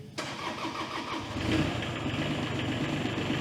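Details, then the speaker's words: John Deere 17G mini excavator diesel just after a fuel filter change: cranks, catches after a moment and settles into a slightly rough, lumpy idle while the remaining air purges from the fuel lines. "You can kind of hear it running a little bit rough, getting the rest of the air out of it."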